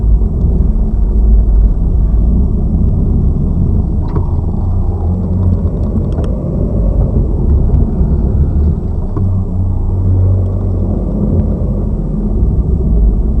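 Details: Lada Vesta Cross left front strut (SAAZ), replaced under warranty yesterday, camera aimed at strut mount while driving over bumps: low road rumble with a few faint soft thuds, no sharp knock; normal. Old right strut still knocks.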